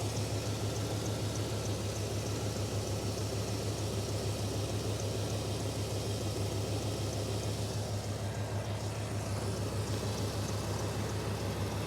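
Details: 1995 GMC truck after no-spark, no-injector-pulse diagnosis; fuel pump replaced and distributor timing dialed in to 0 degrees. Quiet, steady idle hum with an even pulse, no hiss or stumble; engine now runs clean and smooth.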